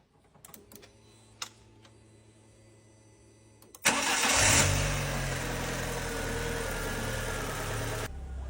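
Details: Ford Ka 1.2 with Marelli ECU, after replacing faulty ECU coil-driver fault with donor unit following head gasket job: short crank, fires at once, even steady idle on all cylinders; misfire fixed, no fault codes.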